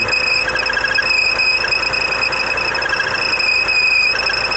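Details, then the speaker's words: Chery Tiggo idling with A/C switched on and engine cold, shrill cricket-like chirp; not the Poly-V belt or tensioners but the worn rubber of the crankshaft harmonic balancer pulley. "normalmente pessoal troca a correia Poly V achando que o problema é a correia Poly V Troca os tensionadores mas eu quero te falar que o problema tá aqui ó Nessa polia a polia harmônica desse carro"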